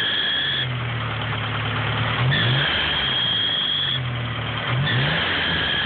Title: ep3 squeaky sound pulley or belt or...